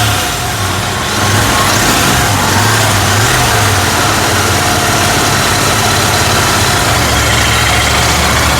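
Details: Royal Enfield GT650 twin after replacing a blown fuse (loose fuse contact had caused the starting complaint and missing): steady, even idle with a smooth low thrum, no misses or knocks; normal idle.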